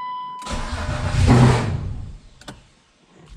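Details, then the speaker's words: Turbo BMW E36 first start-up attempt near full throttle: brief crank, engine catches and flares about a second, then sags and dies; starts then immediately stalls, cause not yet found. "it's gonna be damn near open throttle if it starts so i mean i don't know but uh i guess we'll see i just died quick as hell"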